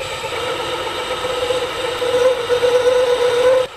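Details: Compact DIY aluminium-case lathe/mill/drill combo turning outer and inner diameters after re-tightening loose X-axis bolt: steady mid-pitched cutting tone, no chatter or knocking; cutting cleanly.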